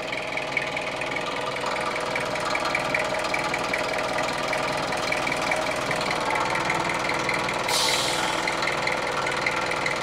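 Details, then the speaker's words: Opel Rekord 2.1 diesel that consumes oil, idling, heard at the crankcase breather hose: runs nicely but a rough, constant puffing hiss shows massive blow-by, likely from worn piston rings or cylinder walls. "There's a massive amount of blow-by on this engine. I think it's pretty safe to say that the issue with oil consumption comes from worn piston rings or cylinder walls on this engine."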